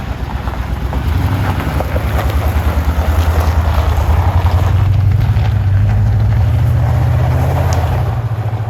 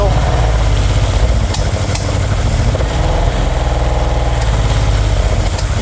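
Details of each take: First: 1970s Aston Martin V8 barn find after carb and fuel system rebuild: deep, even burble with steady loping pulse, no knocks or misses; smooth, healthy idle, some wind. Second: 1970s Aston Martin V8 barn find, first start with carbs primed and fuel pump on: deep, lumpy idle that stumbles with irregular spluttering and popping and a leak. Suspected not getting enough fuel, not confirmed.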